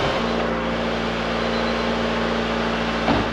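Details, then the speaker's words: 1988 Honda CRX Si idling after rusted, holey muffler replaced with a stock one; smooth, low, even exhaust note with no rasp or blowing, remaining noise only mild mechanical hum from the front; quiet exhaust. "All right, let's see what it sounds like. It's windy, but you can hardly hear anything. All the noise is coming from the front."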